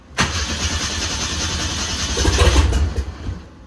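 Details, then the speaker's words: 1927 Ford Roadster with a 2.3L turbo engine, first start attempt after the fuel system repair: the starter churns steadily for three seconds and it never fires, because a sensor was left unplugged. "Damn. All right. Here we go. I forgot to connect the the sensor."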